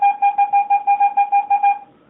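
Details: Garrett AT-Pro metal detector air test, copper penny at about 4–5 inches from the coil, reading about 81–82. Clear mid-pitched beeps, about eleven in under two seconds, evenly spaced, then silence: a clean, steady copper penny response.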